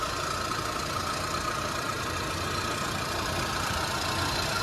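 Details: 2001 Suzuki Katana 4x4, hood open, just started on the first try: steady even idle, very smooth and nearly silent, with a faint regular pulse and no clatter or irregular knocking; normal idle.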